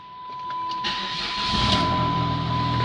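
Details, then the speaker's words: 2003 PT Cruiser GT, 2.4 turbo, started with the muffler removed: brief crank, then a loud, raw, raspy unmuffled idle that sounds SRT-style; open exhaust. "two point four turbos actually sound pretty good with no muffler on that's about what my dream cruiser sounds like I kind of like it it's SRT style"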